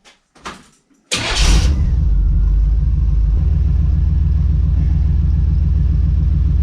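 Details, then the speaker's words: 1982 Chevrolet S10 with V8, after rebuilt exhaust (welded cats, added mufflers, cutouts), on jack stands: cranks, catches, settles into deep, steady, even idle with soft exhaust note; quietest it has been. Normal idle. "Well, I do declare that is as quiet as this truck has ever been since I've had it."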